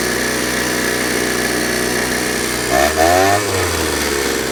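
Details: Ryobi 38cc backpack blower, two-stroke on 50:1 mix, cold start with primer and choke: the engine settles into a steady buzzing idle, then a brief rev rises and falls cleanly. A healthy engine running normally.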